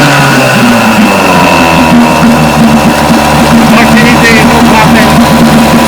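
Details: Vintage Johnson outboard that misfired at high speed, after the pitted brand-new points were replaced. A steady, even two-stroke buzz with no dropouts at constant speed; both cylinders are firing cleanly.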